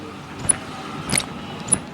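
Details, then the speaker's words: Domestic LPG gas regulator, knob turned close to the mic: sharp, high "chee-chee" chirps about every half second from stiff internal rubbing; speaker says this squeak means the regulator is leaking at the knob. "तो यदि ची ची की आवाज़, इस तरह की आवाज़ आती है, तो हमारा रेगुलेटर 100% लीकेज है।"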